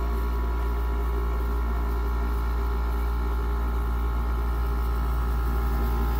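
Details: Goldstar WG5004 5,050 BTU pancake-style window air conditioner: steady, even low hum with smooth fan rush, no rattles or knocks; cold air coming out, normal compressor and fan running.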